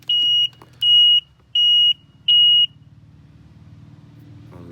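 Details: 2001 Sea-Doo GTI LE RFI two-stroke that won't crank, high temp warning flashing: four sharp high beeps about two-thirds of a second apart at key on, then quiet; controller flagging a stored fault, owner suspects the computer after water exposure.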